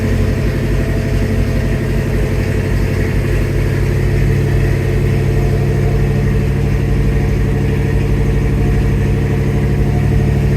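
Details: 1971 Oldsmobile Cutlass Supreme V8, first start after installing an Edelbrock 1791 electric fuel pump and new fuel lines: steady low burble at even idle, no stumbles, ticks or surging; running fine.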